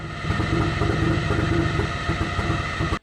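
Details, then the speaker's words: Pickup truck jump-starting a Miata: electrical load on the truck's alternator makes its accessory belt squeal, a sharp steady high-pitched squeal over engine noise that stops abruptly. "I brought my truck over to jump it, and when we started the Miata, the electrical load caused the belt on my truck to squeak, so I ended up pissing off my neighbors anyway."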